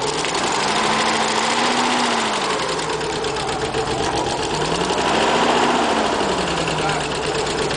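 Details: Nissan 300ZX (Z32) starting and running unevenly, with a fast ticking of about three or four per second over it. Owner suspects bad injectors.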